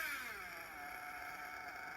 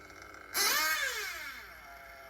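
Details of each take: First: Nitro RC engine being tuned on the bench after a steady idle: on throttle its high, buzzy pitch sags and settles rather than climbing crisply, loading up because it is running rich. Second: revs pick up nicely high speed needle is good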